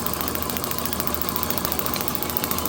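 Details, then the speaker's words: Overhauled IHC H4 magneto from a Farmall MD, meant for a TD-6, with the distributor bypassed and spark off the coil as the points open on the cam; crisp, perfectly even snapping ticks with no misses: normal magneto spark, rock steady. "That is like rock steady. I know on the video it's probably not looking as steady, but you can hear by the clicking that it is not missing a beat."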